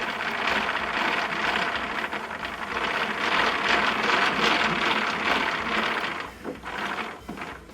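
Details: Thickness planer, one of a DeWalt 735 and Craftex CX13HC comparison: a gritty, rasping grind as the cutterhead is cranked down. Rough bearings are suspected, not confirmed.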